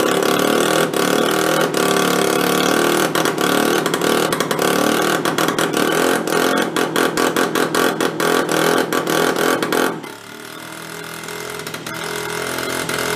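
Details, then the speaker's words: Benelli Andretti M50 two-stroke scooter with 500 miles, long stored non-running; exhaust flange opened leaving an exhaust leak; ragged, uneven popping idle that stumbles, won't take throttle, cuts out; loaded up with oil, air cleaner partly missing. "definitely loaded up with oil huh sometimes you need the rest of the air cleaner on it"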